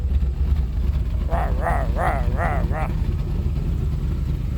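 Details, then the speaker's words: 1989 R30 crew cab square body truck after tank cleaning and a 150-micron fuel pre-filter that keeps the pump quiet: a deep, steady idle with no knocks and a brief wavering chirp. It sounds healthy; a pump or pulley still needs replacing. "sounding healthy at least that's good I still got to play with this pump"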